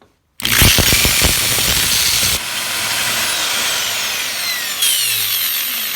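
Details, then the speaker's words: Drill opened up: the motor spins up fast to a steady high whir with small speed steps and visible brush sparking, but no rattle or grinding. Normal running. "Well, totally works. The things you see sparking up here are the brushes on the motor whenever he turns it on."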